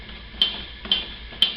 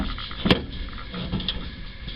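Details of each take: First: 1969 Camaro RS/LS door: three sharp metallic pops as the door skin flexes because its inner braces are not welded in and are rubbing; plug welding the braces will stop it. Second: 1969 Camaro RS/LS with custom shaved door handles and a fabricated latch mechanism, camera inside the door: a few sharp metallic clicks with a short slide between them, crisp and clean. The door latch releases and latches properly.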